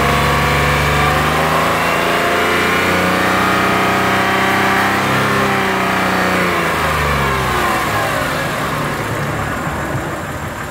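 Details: Warm Lexus RX330 with 3MZ-FE V6, revs raised, held and dropped around 1,000-3,000 rpm; regular knock following engine speed, owner unsure of cause, asks if piston knock.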